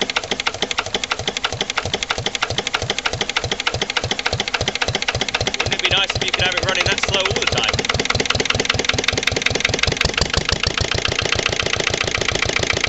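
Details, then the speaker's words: Lister LD1 single-cylinder diesel on a chilly morning, after a fuel filter change and bleeding. Slow, slightly uneven beat with hard clattery firing and an unsteady idle. Owner suspects the fuel injection system, possibly a missed bleeding step. "but I reckon we still got a problem with the uh the whole inject sy's not quite right hopefully we'll find out what"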